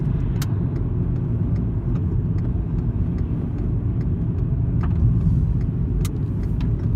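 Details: VW Golf Mk5 while driving: irregular sharp rattles and ticks over road and engine noise, recorded with the gearbox-side engine mount badly worn and moving; replacing it later reduced but did not cure the rattle; heat shields and exhaust mounts checked.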